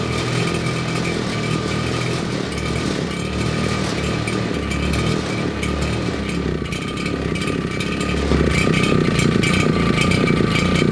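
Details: Old RedMax two-stroke leaf blower missing fuel lines, two-stroke mix poured into the cylinder, plug finger-tight: high buzzy rattle briefly picks up then fades; runs only on poured fuel, pointing to fuel delivery, so carburetor gets disassembled.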